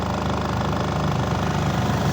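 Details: Astro spin dryer after repair, rear cover still off to listen for more hum; earlier it was noisy underneath. Now a steady, even hum with no knocking, rattling or scraping as it spins smoothly and quietly.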